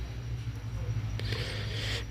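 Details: Oscillating fan that had been noisy when oscillating, running again after its gearbox gears were checked (found undamaged) and the unit re-screwed in the correct position: smooth, even low motor hum, light handling noise, no grinding; normal operation.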